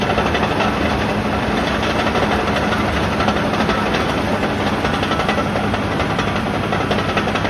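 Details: Ex-military Cat D7G dozer after service, including oil and hydraulic filter changes, after an earlier hour-long run: deep, heavy diesel rumble at steady speed with no knocks, misses or surging; running healthy.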